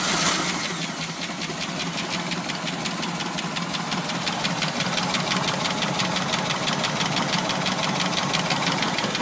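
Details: 1989 454 Magnum marine V8 with rectangular-port heads idling with a sharp, steady ticking over the engine note; cause undiagnosed.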